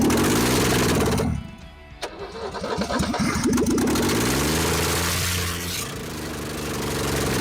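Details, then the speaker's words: Ford XP Falcon, first run after 35 years, no exhaust manifold, timing adjusted while cranking: catches with a sharp pop and uneven stumbling, then lumpy idle, hot and blowing out carbon; backfire from ignition timing still off. "Oh, a bit of a backfire there. Woo, he's hot. Blowing out some of that carbon."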